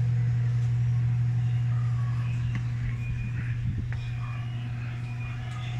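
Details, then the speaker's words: Electrolux 8 kg automatic washing machine after repair of spin-dry banging against all sides: steady low drone through the spin with no bangs or knocks; spin now runs smooth. "So kanina kasi kahit anong testing ko talagang lagi siyang may kalabog ngayon nawala na"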